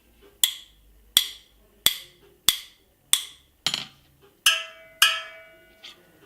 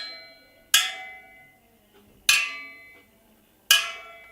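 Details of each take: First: Supermotard spoked wheel: a wrench taps each spoke; tight spokes ring with a bright, melodic ping, while one loose spoke gives a dull, hollow, dead tap. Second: Supermoto wheel rebuild: spokes tapped with a wrench after lacing and truing, giving three crisp metallic taps, each ringing with a clear, lingering tone like a little melody, not hollow, meaning properly tensioned spokes; a loose spoke sounds hollow.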